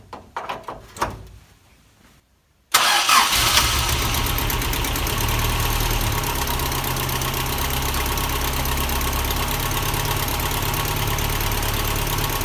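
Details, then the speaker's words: 1979 Toyota Corolla SR5 TE37 before tune-up (plugs, wires, cap and rotor): starts after short crank, then idles with an uneven, lumpy beat and wavering pitch; rough idle, cause not confirmed. "so yeah so the car needs a tune-up because it starts off pretty rough and it doesn't run as smooth as I like"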